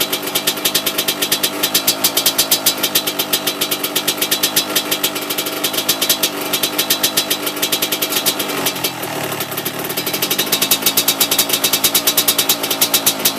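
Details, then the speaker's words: Yamaha YZ125 two-stroke, first start after rebuild with new top-end kit and new NGK BR8EIX spark plug: crisp rapid even popping with bright tinny edge, steady through a small blip; sounds different than before rebuild, healthy idle. "I mean it sounds a lot different that's probably partially because of the new spark plug I'm running"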